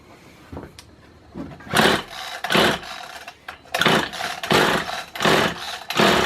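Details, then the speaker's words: Kawasaki hedge trimmer two-stroke being pull-started in repeated raspy chuffing bursts that never catch, despite having spark, during an attempted repair with new piston rings. "and it's just not turning over he might just be a goner yeah so I still have spark"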